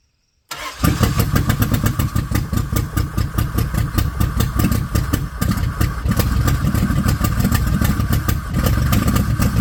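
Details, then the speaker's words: 1995 Plymouth Voyager, 209,068 miles, wrecked and botched head gasket job, first start after years sitting: catches after short crank, runs loud and lumpy with stumbling beats; leaking heavy oil, owner suspects jumped timing, unconfirmed. "She fired up. Boy, did it not sound right."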